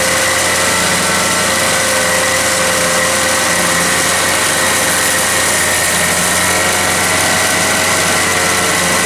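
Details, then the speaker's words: Toro CCR 3000 GTS 5 hp two-stroke snow blower with a replacement aftermarket carburetor kit fitted: constant high-pitched scream around 5,500 rpm on a tachometer, no dip or change, rpm can't be brought down. Overrevving; the wrong carburetor's throttle is held open. "when I had it running it was running way too fast it was running at like 5,500 RPM when I put my little tack on it so and I couldn't control it I couldn't get the RPMs down at all"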